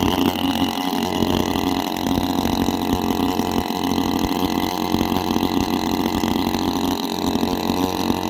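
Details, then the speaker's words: Petrol engine of an agricultural engine drone at constant speed: very loud raw buzzing drone, no misses or knocks, like a bike with its silencer removed; normal running but excessive noise. "Me బైక్కి silencer పీకేసి bike నడిపితే ఎలా అయితే sound వస్తుందో దగ్గర అంత సౌండే ఈ engine నుంచి కూడా వస్తుంది."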